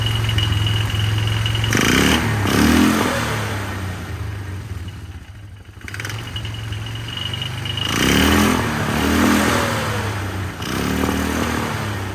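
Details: 1999 Polaris Sportsman 500 ATV first running after fuel pump replacement, airbox off, temporary tank: uneven lumpy idle with surging revs and irregular blips; runs rough, carburetor adjustment planned.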